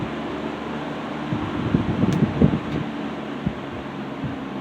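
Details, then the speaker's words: 1960s Phionex 16" box fan by Frigid with General Electric motor, freshly cleaned and serviced after running wonky; on low speed after warm-up. Soft steady whir, a few brief bumps, no grinding or rattle; normal fan motor running. "You kind of have to put it on high and let it run for a few minutes, and then put it back on low to where it's at its proper speed variation. This has a really nice motor sound to it too, by the way."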